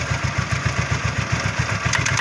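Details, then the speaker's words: Honda Vario Techno carburetor scooter at low idle: quick even clicks, about seven a second, from the CVT case; suspected worn, loose front pulley bushing, to be disassembled for confirmation. "Saat putaran mesin rendah, akan terdengar suara seperti itu. Mengklik, mengklik, mengklik"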